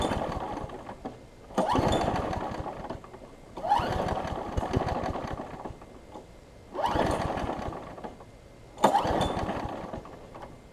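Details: Craftsman 6 hp big-wheel front-drive self-propelled mower: catches in short rough bursts about every two seconds, then dies back, running rich; owner suspects carburetor, spark plug or flywheel key; fouled carboned plug, fixed with new plug and air filter.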